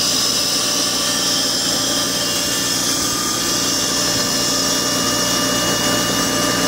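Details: Car with timing belt, water pump and serpentine belt replaced Jan 2023: steady thin high-pitched whine over the engine at startup; source unknown, owner guesses a bearing of some sort.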